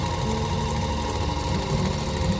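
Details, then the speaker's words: Viking Emerald 118 sewing machine that came in very tight, after oiling and penetrating oil on the tight spot: even, fast mechanical patter at steady speed without dragging or hesitation; now running freer, normal running. "right now I here running better and much free right"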